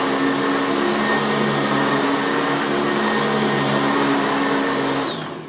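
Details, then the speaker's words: Sanitaire SC679K upright vacuum, very first run after assembly, on position 3 over clean carpet, with thick shakeout bag: steady even motor roar with constant high whine, no rattles or surging; normal running. "Yeah, sounds like a Sanitaire. What can I say?"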